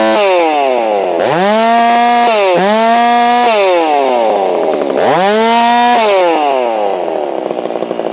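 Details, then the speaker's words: Holzfforma G660 chainsaw milling after a fix for top-end power loss, warming up: it screams up to full revs and holds a clean, steady pitch through each cut, dropping back smoothly between them; normal cutting, though the low-speed screw still needs adjusting. "but she's definitely acting more normal now. So I'm pretty happy about that."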